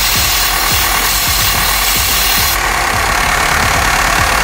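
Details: Opel Astra F petrol engine after the blue hose to the air filter box was reconnected: steady idle with soft regular pulses under a constant airy hiss. Normal idle after the repair.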